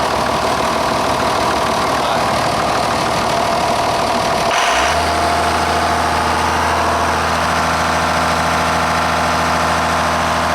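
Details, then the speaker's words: John Deere 7410 tractor diesel, about 11,000 hours, after fitting a new muffler: cranks, catches and settles into a steady even idle with no exhaust-leak puffing; normal idle. "It sounds good. Everything is on and good."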